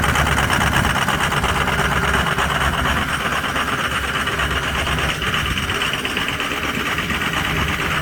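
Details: Cold start of a Ford 6.0 Powerstroke diesel with some bad injectors: loud clatter at cold idle with an uneven, lumpy beat rather than a steady rhythm; rough cold idle.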